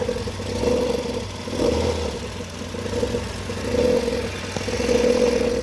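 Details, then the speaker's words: Nissan Sentra engine running with a rough, surging growl over a mid-pitched hum at startup, with vibration. The belt tensioner spring has lost pressure and its bearing is damaged, and the belt is worn; replacing the tensioner and belt cured it. "pierde la presión el resorte y hace vibraciones y el ramiento también está averiado"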